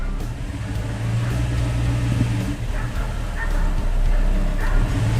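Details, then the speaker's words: 2000 Toyota Tundra SR5 4WD 4.7L, still cold, in gear at low idle around 300-400 rpm; low uneven rumble sagging under light throttle, nearly dying, engine stumbling near stall from dirty throttle body, no check-engine light. "if I can go easy on the throttle it seems to do okay well it almost try to die"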